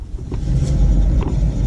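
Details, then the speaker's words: BMW E46 M3 front driver-side wheel, hand-spun: a low, rough rumbling growl from a badly worn wheel bearing, which makes an unusual sound while driving, before bearing replacement. "all right let me spin the tire so you can hear the bearings is rubbing oh it's bearing is very bad now"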